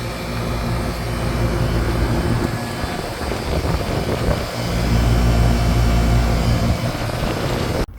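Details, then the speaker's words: AC condenser fan after replacement with a 3-wire OE motor, hanger bolts refitted: steady even whir and constant low hum, no rubbing, ticking or wobble; new fan motor running smoothly and quietly. "That smooth quietness. The camera makes it look like it's moving slow. It's moving very, very fast."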